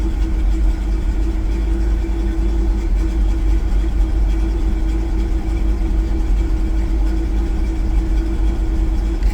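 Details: Truck on a total cold start after a new distributor, running with no catalytic converter and shaking, knock count reading 27: low idle drone with a slightly uneven, lumpy beat; misfire and slight idle hunting, cause not yet found.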